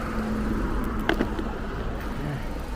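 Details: 2007 car whose ABS light came on with A/C, traced to a dead alternator; after new alternator fitted and restart, low steady idle rumble with even firing, no knocks, ticks or squeals; normal idle.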